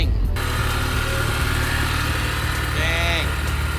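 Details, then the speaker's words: 1976 Toyota Celica RA24, engine started without pumping the gas: brief rough, misfire-like start, then settles into a steady, even low idle with no knocks or misses once warming up; normal idle. "there we go oh yeah definitely misfiring oh no we're good just need to warm up Perfect"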